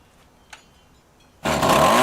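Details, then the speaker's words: Two-stroke rototiller stored over winter with fuel in it, after carburetor cleaning and idle/high mixture adjustment; tilling soil under load, engine bursts into a strong, steady buzzing run without stumbling, much better than before; normal running under load. "looks like we did the trick it seems to work okay now much better than it was before which was not working"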